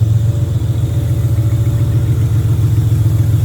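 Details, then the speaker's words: J35 V6 sandrail warming at idle as water temp starts rising; the cooling system likely needs burping and the fuel is old. Steady, smooth idle with no knocks or misses; healthy. "Oh, we're starting to see some water temp there. So I bet you it needs to burp. But it's all working."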